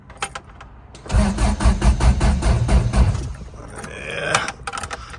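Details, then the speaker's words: Old vehicle after sitting, battery charged overnight: slow, uneven cranking churn with no firing; fuel pump sounded weak, owner plans starting fluid. Earlier knocked when warm; cause of no-start unconfirmed. "well that sounds promising so this old girl cycle the key get the fuel pump pumping something in there even that sounding kind of weak maybe we should give her a little shot of some starting"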